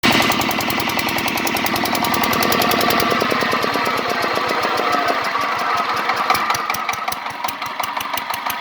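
A rapid, steady metallic tapping runs right through the engine note and eases slightly near the end; a knock of unknown origin.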